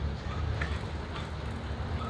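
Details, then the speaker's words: Shimano cassette-type ball-bearing stock hub after repack and refitting with wheel centered and quick release tightened: soft, even whir of the spinning wheel with no scraping or rhythmic rotor rub; brake runs clear, noise gone, quiet wheel spin. "Yan, okay na, wala na yung tunog niya, no? Tahimik na rin siya."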